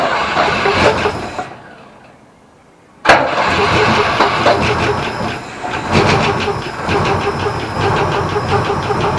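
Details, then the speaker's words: Holden HQ Ute, unstarted for about 7 years, petrol poured in, battery swapped from another car: silence, then it catches suddenly and runs with an uneven, stumbling beat for about five seconds. Rough running after start. "oh that's ugly I couldn't believe it that idle well for 5 seconds but it idled okay"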